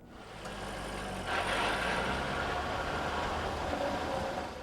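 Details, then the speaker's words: 2001 C5 Chevrolet Corvette: steady low mechanical buzz or rattle from underneath the running car, which is inherent to the front V8 and rear-mounted transmission driveline layout, not a fault. "this noise is not an indication of a problem it's a characteristic noise inherent in the drive line configuration of the Corvette with a high output V8 engine in the front and a high capacity rearm mounted transmission"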